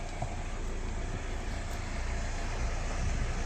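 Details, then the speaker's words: Kia Soul after replacing the steering coupling (kaplin) under the electric steering motor: steady low rumble with no knocking as steering is turned; previously knocked, now quiet steering. "Ses soluk yok. Bu da son hali. Her şey toplandı. Eskiden küt küt vuruyordu. Şu an gayet güzel."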